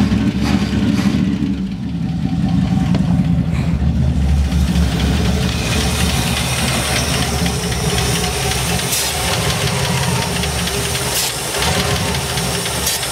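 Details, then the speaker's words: 1972 Ford F100, unrun over 10 years, 1408 carburetor with stuck floats flooding: V8 idles lumpy and uneven, stumbling and surging without steady rhythm; needs a new carburetor. "Yeah, it just really needs a new carburetor is all it needs."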